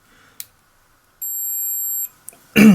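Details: Multimeter on resistance/continuity, probes touched together before testing a Stihl HS 45 hedge trimmer kill switch: one steady high beep under a second, confirming meter and leads good.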